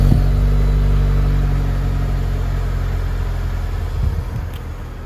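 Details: New 2022 Chevy Silverado LTD Custom 4x4, 2.7L L3B turbo four-cylinder, 8L90 8-speed: brief rev on start, then a steady low idle easing down smoothly, no ticking, knocking or roughness; healthy normal idle.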